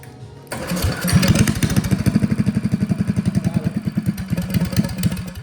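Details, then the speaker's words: Old Russell 196cc four-stroke on a Baja mini bike, sat many years, after a carb clean and with a broken idle screw: it catches and settles into an even, quick single-cylinder thump with no misses. Normal running. "All right, it started. Sweet."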